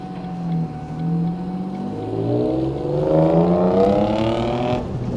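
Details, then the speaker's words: Abandoned Ford Mondeo ST220 3.0 V6 former non-runner, revved outside after first start: smooth rise in pitch and clean fall back to idle, no rattles or misses; sounds healthy. "God don't that sound nice I was not expecting that at all"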